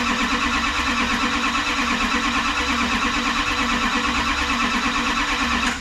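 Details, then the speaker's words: Rebuilt Duramax diesel in a dually, first fire-up after CP3 pump install, turbo not yet fitted: even idle with a soft, steady clatter and no knocking or misfire before shutdown; starts, makes oil pressure, normal idle. "all right so it starts sounds good makes oil pressure"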